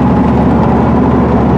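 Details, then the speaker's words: Pontiac Trans Am with a brand-new engine on a test drive; owner had suspected the rear carrier bearing. Smooth road drone with no growl or whine from the rear differential, and the earlier noise is gone, though the owner later hears a fainter bearing noise, possibly the pinion bearing. "well that's the weirdest thing I've ever seen the noise is gone now"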